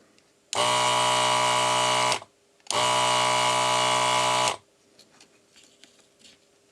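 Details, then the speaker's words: ZD-915 desoldering station after fan replacement and mods, desoldering large resistors without proper cleaning. Two strong, even buzzing pump bursts of about two seconds each start and stop crisply; suction works normally. "I didn't even clean this up properly before the mods here and this works beautifully still that's nice"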